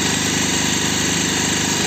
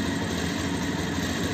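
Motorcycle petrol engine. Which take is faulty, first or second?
second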